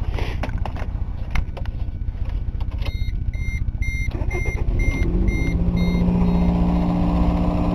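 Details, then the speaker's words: 1989 Toyota Corolla All-Trac wagon, new battery, started on a warm day after sitting all winter: engine ticks over with an even, low pulse and a few dash chimes over it; smooth, healthy idle, does not like the cold. "now that's a Toyota for you runs fine does not like the cold though"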